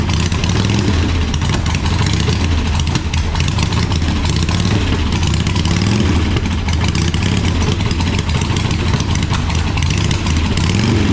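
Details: 1985 Harley-Davidson Sportster Ironhead V-twin, sat outside a long time, first run: loud loping idle with a deep steady pulse, no knocking or rattles; normal idle, sounds like a good motor though the oil filter was destroyed.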